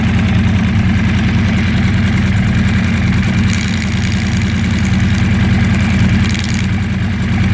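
Even idle with a light, loose rattle riding over the firing beat; rattle from the engine, cause unknown.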